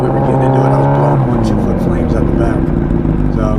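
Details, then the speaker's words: Honda CBR1000RR with custom over-tail exhaust fabricated from an old can: deep, crisp exhaust bark rising with revs, then dropping cleanly back to idle, no rattles or leaks; healthy exhaust note. "but yeah not only doesn't look much better but it sounds a lot better as well"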